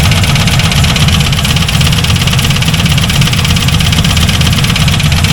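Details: C4 Corvette V8 at steady idle with a rattling knock over the low rumble; rockers checked and okay, owner unsure whether the rattle is in the engine or the transmission.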